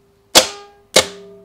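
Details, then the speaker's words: Starter solenoid on the bench with the battery cable removed, energized to simulate the no-start click heard in a vehicle, drawing almost 60 amps; two sharp loud clicks with a metallic ring, nothing turning. "when we remove the battery cable we're still able to activate the solenoid to simulate the click like you would see in a vehicle"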